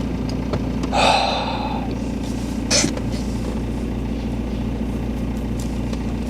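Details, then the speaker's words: BMW E46 320d Touring diesel idling after an immediate hot restart with glow plugs, with no long cranking: steady, even clatter and constant low rumble, no stumbling or hunting. Normal idle. "And it just fires straight up again. This is so bizarre."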